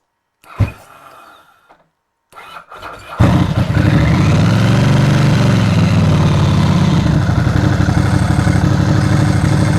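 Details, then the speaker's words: Ducati dry clutch, cold engine started on choke with clutch lever squeezed: a few cranks, then the twin catches and holds a steady lumpy idle, very quiet with no clutch rattle; healthy. "that's very quiet uh you"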